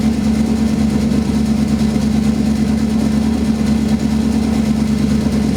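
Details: Idle after replacing spark plugs, ignition wires and coils, cleaning the MAF sensor and replacing leaking cat-back exhaust gaskets; steady, even idle with a smooth low pulse of about three beats a second and no exhaust ticking, sounds healthy.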